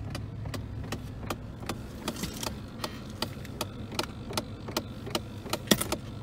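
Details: 2001 Chevrolet Silverado with broken A/C; the clicking began when the A/C was turned on. Sharp, fairly regular clicks about two or three per second over a faint engine hum from behind the dash; the owner suspects a fan or something in the box.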